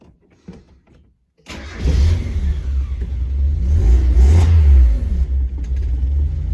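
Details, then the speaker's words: Miata after a new California-approved catalytic converter and a matched replacement exhaust gasket and washer were fitted: it starts and revs up and down smoothly with a deep, even note and no ticking or blowing. Sounds much better than before; normal exhaust note. "actually sounds pretty good [Music] way better than it did before that's for sure"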